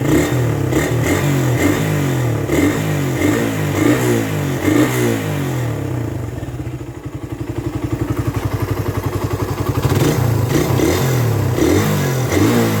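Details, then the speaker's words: Suzuki Raider 150 carb, engine hot; the owner says it is quiet when cold and the noise appears once warm. Sharp, regular ticking about four per second over the single-cylinder beat, rising with revs. Top-end tick of unknown cause. "Actually nararamdaman nararamdaman ko lang naman siya kapagka mainit na yung motor pero kapagka malamig ung bagong andar walang ingay yung motor ko tahimic siya"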